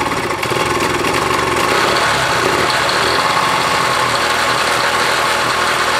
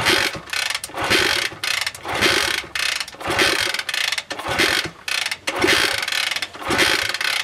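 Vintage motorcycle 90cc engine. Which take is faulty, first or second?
second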